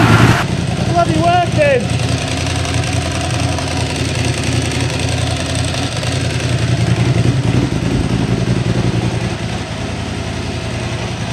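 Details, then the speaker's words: Ducati Hypermotard 1100 S first start after four-year rebuild: lumpy V-twin idle with loose tinny rattle, normal dry clutch chatter, like a bag of spanners; oil vanished from sight glass, to be topped up, owner unsure oil is enough. "sounds like a bag of spanners of course that's the catti dry clutches for you"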